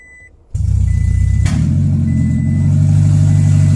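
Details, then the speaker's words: 2006 Toyota Prius that wouldn't start with code P3193 (was out of gasoline), just started after refueling: loud, deep, raw unmuffled drone because the catalytic converter was stolen. "глушителя нету ой каталика нету его украли"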